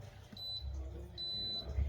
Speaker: nó báo H2 không mình không thể được thực hiện chức năng khác nhá báo cảm biến đấy